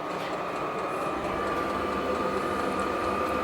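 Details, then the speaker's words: Hcalory 12V 8kW diesel air heater running after 7 months unused, hot air now at the vent, exhaust warming: quiet steady fan hum near one kilohertz with a soft pump tick behind it; running normally. "The app does say that it is running now. And now the vent, we're starting to get hot air coming out of this vent right here."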